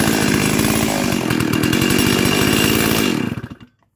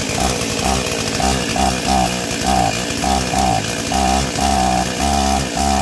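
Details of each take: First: Stihl 036 chainsaw rescued from a junkyard, carb fitted and tuned, new NGK plug, 20-inch bar: screaming clean, even full throttle at 13,410 max rpm, then throttle released and it winds down; runs healthy. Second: Stihl 036 junkyard chainsaw, first start after carb install and new NGK plug, no air filter fitted: rough, surging two-stroke note that keeps sagging and picking back up in uneven pulses; bogging.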